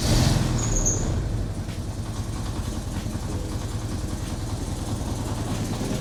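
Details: 1986 Porsche 944 Turbo after engine reinstall and new DME temperature sensor (faulty sensor had caused overfueling, white smoke, no run); even steady low idle outdoors, no stumbles, knocks or smoke; normal idle after fix.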